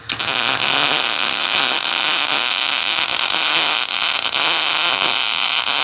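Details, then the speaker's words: Welding on a Kioti tractor repair: even, continuous crackling sizzle like bacon frying, no popping or sputtering; stable arc laying a good bead. "You know, they say, you know you're laying a good bead when it sounds like bacon frying, but when you do it without gloves, it smells like bacon frying."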